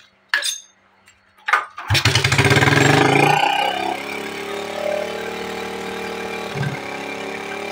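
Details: Smash 110 motorcycle after adjusting the carburetor idle and air screws: a quick start, a brief rev, then a steady, even idle that no longer stalls.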